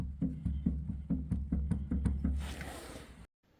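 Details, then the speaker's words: Creworks 8x16 lathe carriage before gib adjustment, rocked by hand: hollow wooden clunks about twice a second from loose carriage adjustment screws letting the carriage knock with play. "all right so this is before adjustment you can hear all that play I don't know if you can see it but you can most definitely hear it"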